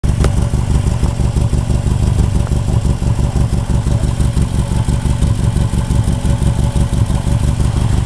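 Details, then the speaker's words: Idling engine with a sharp, rapid puffing tick on the exhaust note, about three pulses per second. The exhaust leak came from hitting snowbanks after normal bolts were fitted instead of spring bolts, so nothing could flex: exhaust leak. "Yep, that's my exhaust leak right there. Pretty bad from hitting on those snowbanks there."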